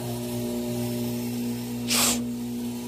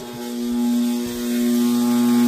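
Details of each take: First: 4" submersible 3/4 hp 8 gpm well pump running in a test tank at about 5 gpm and drawing 7.5–7.6 A. A steady, smooth low electric hum with brief water hiss; considerably quieter than the other pump, healthy. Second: 4" submersible 3/4 hp 8 gpm well pump in a test tank, circulating water at 11.7 gpm and building 180 psi. It functions fine, but a loud, steady buzzing low drone never eases, and it starts to vibrate and rattle; terrifyingly loud, cause unknown.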